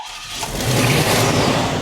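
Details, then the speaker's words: Stolen 1988 Chevrolet Monte Carlo, first start after a new fuel pump was fitted: engine fires on the key and settles into a strong, even, smooth low rumble with no knocks or stumbles, sounding healthy; normal running. "So let's go ahead and turn the key and see uh if she'll fire over. That's what I'm talking about. She sounds pretty good, too."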